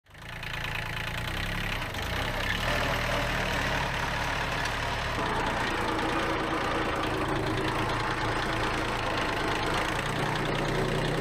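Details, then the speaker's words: Worn Kubota B7100 tractor running with a constant whine from the rear gearbox; a chipped gear tooth and chewed-up bearings were found, so the gear and bearings need replacing. "there is a lot of gearbox noise there there's definitely a wine going on in that back end there's a trip on that tooth so I'm going to have to replace that gear that's the one causing the problems see the pieces chipped off the edge there"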